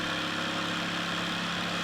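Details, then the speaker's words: Cheap generic jigsaw after repairing a failed gear with bad bushings and bearing, fitted with an original Makita blade: steady, even high-pitched whir with no grinding or rattle, no excessive sparking or heating; runs normally. "it operates it works there is no excessive sparking there is no excessive uh you know heating or anything like that it's it's just working as it's supposed to"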